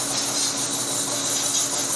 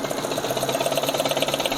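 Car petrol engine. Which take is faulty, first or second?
second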